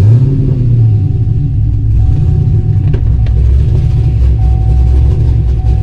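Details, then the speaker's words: 5th-gen Camaro with long-tube headers, after a new starter setup to fix heat-soaked hard starts, restarted hot after about 40 minutes of driving: quick catch into a deep even rumble, no drawn-out cranking or stumble; hot start fixed. "seems like everything's good i feel like it worked i'm happy with that start it up just like it did before starts up easy i think we got a winner"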